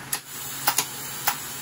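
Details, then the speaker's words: Vintage Econo TIG welder during control board repair, gas solenoid test; crisp sharp clicks, four in under two seconds over a faint steady hum; gas valve opening and closing cleanly, normal solenoid operation. "i just want to confirm that the gas solenoid is still working as it should so just a simple test would confirm that"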